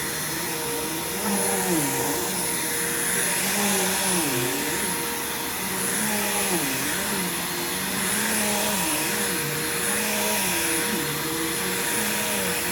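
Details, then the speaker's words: Bissell upright vacuum, belt replaced a few months earlier and unused since: even high motor whir with steady hiss, no slipping squeal or flapping; belt has aged best of all, agitation good, running normally. "pretty good so far this is the best belt that's aged out of all of these which is pretty impressive"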